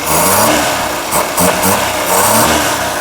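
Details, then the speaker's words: Ceria carburetor after adjustment: revs climb and drop cleanly through low, middle and high speed with no stumble or hesitation; smooth revving, mixture well set. "digas urut enak tidak ada gregelnya dari putaran bawah putaran tengah putaran tinggi. Digas ke juga enak"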